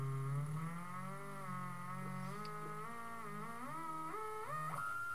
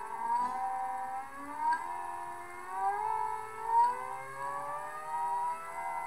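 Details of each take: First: NEMA 34 stepper on ST-M5045 microstepping driver, 24V supply, Arduino potentiometer speed control, no load on shaft: clean singing tone climbing in steps from slowest setting, no clicking or missed steps; normal unloaded running. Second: NEMA 34 stepper driven by Arduino with ST-M5045 microstepping driver on 24V supply; whine climbs, clicks, wavers and falls back without holding top speed, suspected acceleration ramp too quick: stepper motor stalling.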